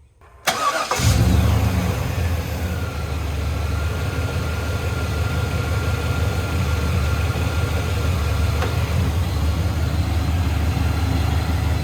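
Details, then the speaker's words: Bagged Chevy C10 after the belt went back on to chase a months-long squeak since the motor swap (owner found bent bell housing): engine catches quickly into steady even idle, no belt squeak; belt drive healthy, faint squeak remains. "don't hear no noise now man that sounds awesome I've been listening to that squeaking noise for months ever since we put this motor in it"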